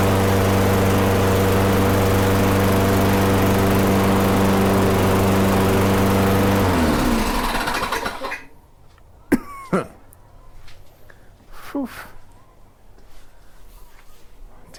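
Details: Older Toro Recycler mower with Tecumseh engine after no-start repair and oil, blade, plug and air filter service: even steady single-cylinder buzz about seven seconds, then clean shutoff; runs smooth and healthy.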